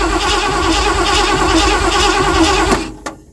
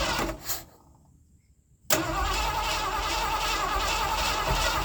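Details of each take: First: 1979 Ford F-100 that sat for years, start attempt after fitting the gas pedal return spring and adding fuel: uneven cranking with ragged catches that bark but never settle into running, then dies. Cranks and fires but won't run. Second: 1979 Ford F-100 that sat for years, first start in snow after filling the carb bowls with fuel: cranks briefly, catches cleanly and holds a smooth, even idle with no stumbles or backfires. Normal start and idle.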